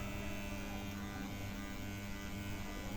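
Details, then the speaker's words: EI transformer for an amplifier, powered through a 100 W series lamp: steady harsh mains-rate buzz from inside the core because the core laminations were not tightly fitted, adding extra no-load line current and heating the transformer. "पहले problem court के अंदर से आवाज उठ रहा है"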